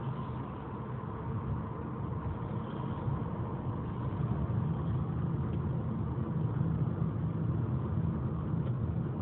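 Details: After repair, on every start a transmission and engine alarm sounds: the engine holds a high, steady drone that climbs slightly while road speed doesn't rise, like revs running ahead of the road. Suspected transmission slipping, not confirmed.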